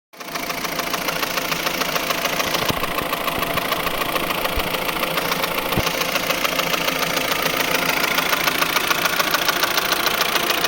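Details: 2003 Saab 9-5 idling petrol engine with a fast, fairly regular metallic chatter riding on top of the running sound; the cause is unknown.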